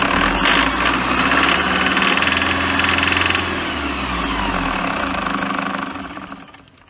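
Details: 2008 Toyota HiAce Super GL van (ADF-KDH201V) diesel at 137,735 km, idling with a fast steady ticking chatter and faint whirr over the clatter; abnormal engine noise from the fan belt idler pulley.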